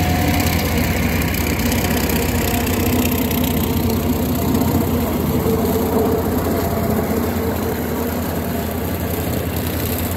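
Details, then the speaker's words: Grandpa's old tractor idling right after its first restart, once the fuel was pulled a little: an even, steady low putter with no misses, knocks or rattles. Normal, healthy idle. "so i'm going to pull the fuel a little bit and there she is i don't know why that's one of the most satisfying things i've ever started but it is"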